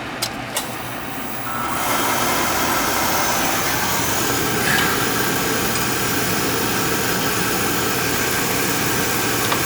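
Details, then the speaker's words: Oil furnace burner relit after a little air purged, with good oil flow confirming the filters are good: soft whoosh at light-off, then a steady, even roar without pulsing or rumble. Healthy firing. Constant fan running traced to a manual fan switch. "there was a little air in there but we got a good oil flow so we know filters are good"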